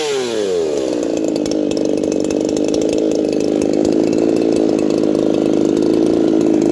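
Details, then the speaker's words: Saw Fest 4910 50cc race chainsaw, carb leaned after running rich, out-of-box chain with about 25–30 cuts: two-stroke climbs fast to a steady high scream held evenly with no burble; revs out cleanly after tuning. "Derek decided to Wick it up there a little bit and I figured I'd throw a tag and throw a tack on it yet but uh she sure sounds like she's going up there"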